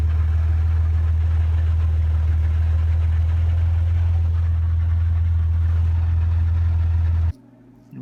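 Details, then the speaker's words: Worn pinion bearing in an open Dana 35 rear axle on a lifted 1999 Jeep Grand Cherokee on 31s makes a steady low droning whirl while driving. "I just wanted to show the carnage that the pinion bearing went through. Now this made a real nice noise."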